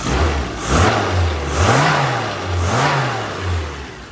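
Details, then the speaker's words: Mini (one of a poorly 998 or new 1380) on-road carburettor tuning: engine revs up and drops back cleanly with no hesitation, a nice stoichiometric run through the rev range needing no mods; dashpot oil being lightened before test drive. "it's giving a nice stoichiometric run up through the rev range which is excellent"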